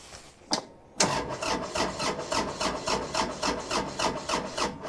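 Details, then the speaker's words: Small diesel tractor, battery dead at about 7 volts, cranked from a portable jump starter: slow, labored starter chugs about three a second, dragging and uneven, turning over weakly without catching; high compression, possibly a poorly seated clamp. "I kind of turned it over weekly."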